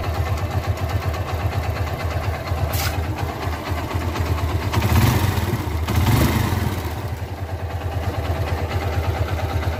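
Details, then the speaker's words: Engine idling after the belt tensioner was replaced: a steady, even idle with a low regular pulse and no squeal or rattle from the belt drive. The earlier odd noise is gone; normal idle. "तो friend जो अलग सा sound था व बंद हो चुका है"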